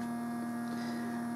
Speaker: now I'm powering this and the tape motor from the same power supply and I'm sure you'll notice right away when I put this into play or fast-forward or anything that involves the motor turning that pretty much speaks for itself